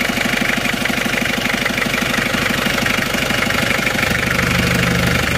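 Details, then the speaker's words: Isuzu Panther 2.3 diesel after engine rebuild with new liners and head gasket, idling: steady idle with even light ticking about three per second, no smoke; valve clearances still too loose and uneven, to be readjusted. "cuma ini aja agak bubuk ini memang Karena ini klepnya belum merata ya masih terlalu longgar besok akan kita Setel lagi"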